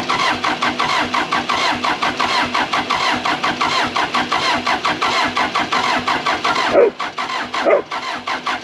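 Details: Case 450B bulldozer diesel after fuel turned on with good flow, oil, radiator and air filter checked: about four even chugs a second, never catches, cranking stops; pump and injector lines not bled, fuel not getting through suspected. Cranks, no start.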